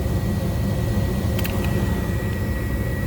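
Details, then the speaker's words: Ice-rink skate room furnace during repair, power restored: spark then flame, steady low even roar with no puffing or flutter; burner has lit and is firing smoothly. "There you go. There's spark. There's flame."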